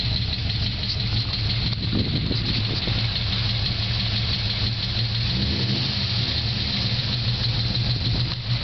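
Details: Holden VZ Senator V8 with bigger cam, ORT intake and dyno tune: lumpy idle with fast steady top-end lifter ticking, blamed on a collapsed lifter but actually low oil pressure from very worn cam bearings; later fixed by rebuild.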